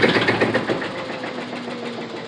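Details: Samsung direct-drive washing machine on final spin with rapid hammering knocks about eight per second over humming, strong vibration and burning smell; cause is broken brittle cast drum spider arm, fixed by replacing spider arm assembly.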